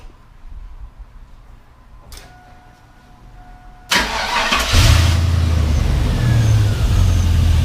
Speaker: everything sounds good we give it a quick little read here I'm super excited guys this thing is road ready